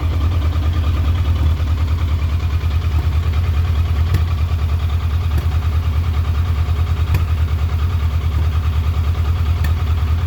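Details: Triumph Trophy 1200 motorcycle at idle: a deep, uneven beat that stumbles instead of running smoothly, a rough idle.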